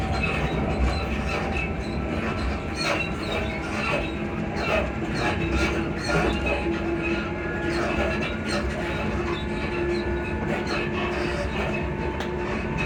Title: class 334031 suspension sound squeaky sounds